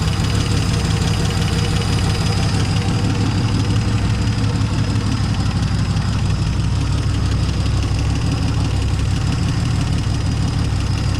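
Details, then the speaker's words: 1970 Dodge Challenger slant six idling after its first start, with new plugs, old wires, the carburetor hooked up and a temporary fuel pump. A deep, steady rumble with an even beat and no knocks or misses; the engine is idling surprisingly well. "Surprised it started up and started idling that well."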